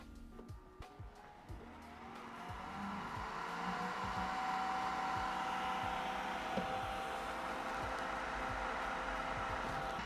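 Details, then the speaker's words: Creality K1 side cooling fan with a very large 3D-printed resonance muffler with bigger holes: handling clicks, then even whooshing airflow with a faint steady whine; noise about the same as before, airflow 6 m/s, fan running smoothly. "actually that's pretty much the same Let's test the airf flow"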